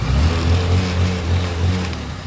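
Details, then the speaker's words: Supremo 150 motorcycle after repair, small revs settle smoothly with low even beat and faint light rattle; noise was from clogged oil passages, now cleaned; camshaft not replaced, still worn. "Okay na. Napakalayo ng pinagbago, boss."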